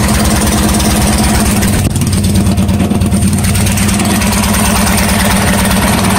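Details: Coleman CT100U minibike with a swapped-in 212 engine, test run on a new exhaust header pipe that replaced the side pipe: steady, lumpy single-cylinder idle with no misses or knocks. Normal idle.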